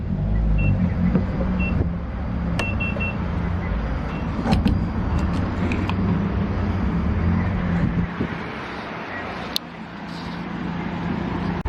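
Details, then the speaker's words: 7.3 diesel van, running again after starter replacement: low, even diesel rumble with steady clatter and a few handling clicks. Normal, healthy idle. "[Music] [Laughter] that's a healthy 7/3 you guys already know"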